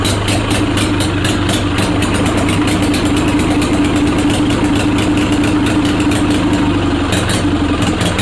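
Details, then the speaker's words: Onan Performer 20 hp twin, on bench at fixed throttle after reattaching coil/battery wire: steady even low thrum, no misses or knocks; runs healthy. "that's a big side relief though that she runs like that she's a runner baby she is a runner"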